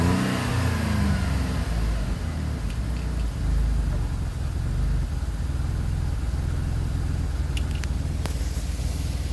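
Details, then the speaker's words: GM 3.6 replacement engine on cold start after crank/no-start trouble, burning off oil: engine racing high, revs hanging and slowly trying to level out, lights dimming slightly; idle far too fast, cause not confirmed. "there it goes with the little revs. That RPM is trying to level out."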